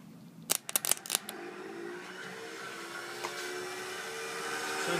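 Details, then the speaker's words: Craftsman 15.5 riding mower that shut off while mowing and won't start; the key has no effect and the sound appears when a battery charger is connected: a few sharp clicks, then a faint whir climbing slowly in pitch, no cranking, cause unclear. "but you know when I sit on it and push the button it will I can't start it can't do anything so it makes that sound"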